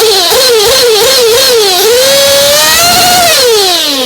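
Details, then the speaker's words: Race engine on VP Power Master fuel after tuning, slow throttle pull: high buzzing tone rises and falls cleanly with blips, then smooth climb without bogging, sputter or blowout through mid-range and top end; normal smooth running. "There is no hesitation. There's no blowout on mid-range. There's no blowout on the top end. It just takes that throttle curve. It's just smooth all the way through."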